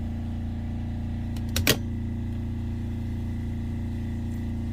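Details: Diesel generator on a boat with battery charger running and the AC switched on as load: steady, even low drone with no misses or knocks; generator runs normally and holds stable.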